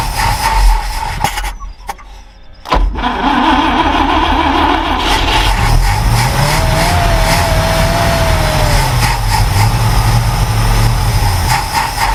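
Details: Ford Falcon Ranchero ("FalconStein") being revived: after a brief gap the engine catches, then idles unevenly with wavering revs near stalling; owner suspects stuck carburetor float; new fuel pump works; carb rebuild planned.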